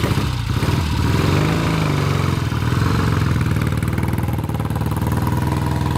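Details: 1966 Triumph Bonneville T120 650cc twin, cold engine, petcock on, both carb ticklers used, kick start: catches and settles into a steady, lumpy low idle with no knocks or rattles; normal cold start and idle.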